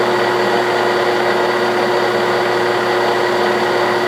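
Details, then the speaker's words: 1967/68 Clausing Colchester 1340 lathe turning a steel hydraulic-shaft button, taking a heavy cut that reduces the diameter by about 0.060 in. A steady, even hum with a light cutting hiss and no chatter or grind: a healthy, quiet machine. "a pretty good chip not a bad little machine nice and quiet"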